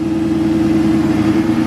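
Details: 2003 Ford Mustang Cobra V8 with Kenne Bell supercharger, first start after rebuild, warming toward operating temperature: smooth, steady low hum with no knocks or ticks; idles evenly and sounds healthy.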